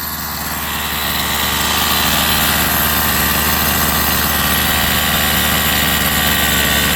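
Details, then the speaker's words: Rovan 45cc two-stroke in XLT RC after clutch change: steady buzzy run with flat, dull tone, no power, "like it's not breathing"; owner wonders if too rich. "It sounds way different, guys. It sounds super different. It's like it's not breathing."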